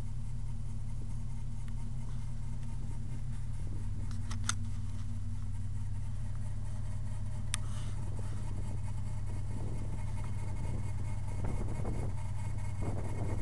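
Engine running steadily with a thin, constant whine held at one pitch above the low hum; source not pinned down.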